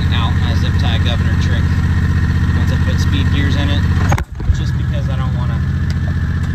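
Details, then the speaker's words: Harbor Freight Predator 670 22 HP V-twin in an EzGO Workhorse golf cart, factory carburetor setting, warm: steady, even idle around 1800 rpm on the tachometer, no dips or misses; idle too high, making F-N-R shifting difficult with shaking; governor set about 4900 rpm. "idling around 1800 degrees or sorry 1800 rpms on the last 10 degrees it's a little on the high side but it is working"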